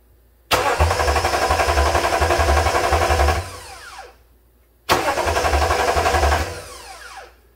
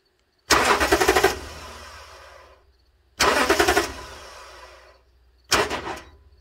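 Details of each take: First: 2009 Toyota Tundra 5.7 after the starter was replaced to fix an intermittent no-crank, tested with the battery cable temporarily reconnected. Two quick, even cranks; each time it catches at once and runs smoothly, a normal crank and start. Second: 2009 Toyota Tundra 5.7 intermittent no crank (earlier P2799 immobilizer code): with relay jumper bypassing the ignition switch, starter solenoid chatters in rapid clicking bursts with no crank; faulty solenoid, whole starter being replaced.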